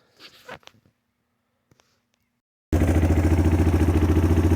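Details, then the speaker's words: ATV that sat about three months and wouldn't start, fuel confirmed at carburetor, broken choke held up by hand: fires and settles into a steady, even beat about three and a half pulses a second; normal running. "all right once I pulled the choke up held it hit the starter it fired right up I'm Gonna Leave it run for a little bit"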